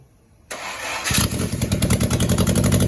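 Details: Rebuilt 2270 engine for a 1974 two-liter body after an oiling problem took out a main bearing (heads, align bore, rods, balancing, clutch, machined flywheel, new pressure plate), first start on a test stand: cranks briefly, catches, settles into an even, steady three to four pulses a second; good oil pressure.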